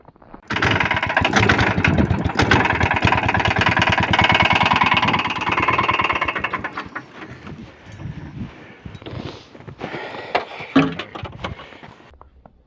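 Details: Lifan 190F 15 hp single in a motorized towing unit, warmed up after a poor cold start: sharp metallic knock runs steadily then eases; caused by camshaft end play from wear in the crankcase cover.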